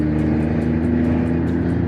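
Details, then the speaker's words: A BMW M240i with a B58 engine, upgraded turbo, port injection and newly fitted 33% larger Nostrum injectors, on its first test drive. Revs climb smoothly and evenly under load with no stutter, after slight stutters while backing out as the car adapted. "RPMs Are Climbing super smooth"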